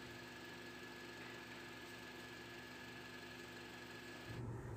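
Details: Honda CR-V air-conditioning compressor that sounded harsh when starting the car, after repair, at idle: quiet, steady hum with a faint even tone, no rattle or grinding; low side 30 psi, high side about 160, vent around 3 °C.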